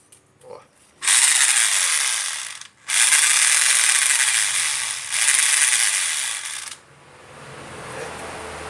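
Rotary hammer runs in two bursts with a harsh, rasping ratchet-like clatter from broken internal parts.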